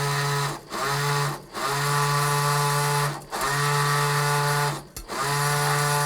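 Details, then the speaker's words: Spolar Gold Premier shotshell reloader's primer settling system, worked by a momentary push-button switch, vibrates primers from the tray into the track. A steady buzzing hum comes in short bursts with brief pauses between them, running cleanly each time. "also that's what the what the settling system does is it actually vibrates primers from the tray into the track"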